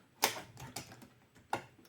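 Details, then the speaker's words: Cassette deck tested with a spare tape after light cleaning: sharp clicks repeating about every half second, mechanism keeps cycling, stop doesn't work and it won't eject the tape; constant clicking. "І знаєте в чому проблема? Що воно ж типа не випускає касету тепер. Воно тепер клацає постійно."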